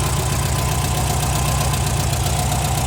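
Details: Warm air-cooled VW Type 4 engine, even low chuffing idle with no ticking or clatter; sounds healthy, though owner later says it runs lean and sputters, suspecting dirt in the carburetor idle jet.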